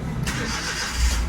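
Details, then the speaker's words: Suzuki Every restarted after engine overhaul for worn-out valves in the head (valves, guides, seats replaced); quick crank, engine catches cleanly and settles into steady idle without stumbling; healthy start. "ये start हो गई गाड़ी। तो इसके हेडों में वालों में fault था और वाल वगैरह जो है ना बिल्कुल ख़त्म हो गया था।"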